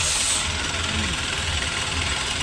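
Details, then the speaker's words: Renault Kwid after engine head overhaul, new piston rings and OEM sealant for misfire, low pickup, low mileage and check-engine light: restart shows steady, even idle with no misses, ticks or leaks; healthy engine, smoke still clearing after repair. "तो भाई मजा आ गया गाड़ी के अंदर मजा एक बार बंद करके दोबारा स्टार्ट करो बंद करो स्टार्ट करो स्टार्टिंग तो देखें बस परफेक्ट"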